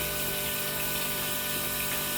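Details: LS-swapped turbo Ford Ranger getting dual Walbro 450 lph fuel pumps, pump relay jumped to battery positive, fuel line draining into a can: steady, even pump whir with fuel hissing and splashing into a can, no surging or straining; pump delivering fine.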